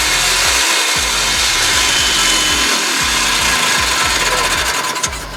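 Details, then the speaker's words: 1986 Polaris 250 ES/R ATV two-stroke fired up after carburetor clean and rebuild for hard/no start: loud, raspy, steady roar with even beat, no stumbling; normal strong running. "good good good good and loud and powerful"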